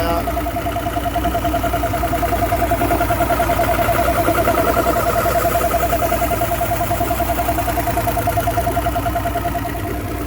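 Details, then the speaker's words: 2009 Mercury Optimax 250 Pro XS DFI outboard idling at about 570 rpm after a new fuel rail replaced torn fuel and air regulators. Smooth, even pulse; the clunk is gone. Temperature climbed from 120 to 143 degrees, which the owner finds worrying. "Yeah, sounds fantastic. Clunk's gone. I think."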